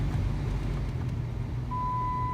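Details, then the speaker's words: 2005 Dodge Durango after blower motor resistor replacement, key on, blower on high: steady, even low rush of air with no rattle or squeal; blower running normally. "So we always had high, which I don't know if you can hear that or not, but high is working."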